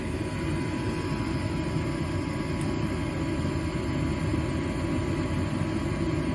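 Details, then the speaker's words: Gas furnace, thermostat raised about five degrees, burner running. A constant, even roar without flutter, pops or surging; normal gas-fired operation with a blue flame. "you hear that that sound that kind of sound that will actually another indication even if you can't see the blue flame um sign that you have a gas-fired furnace"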